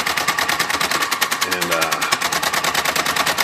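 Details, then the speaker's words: Smith Corona 2200 electric typewriter, on power-up: power backspace runs away nonstop, rapid clatter about ten clacks a second that never stops, caused by broken power backspace clutch spring. "it's the backspace here it's a power backspace this this just won't stop"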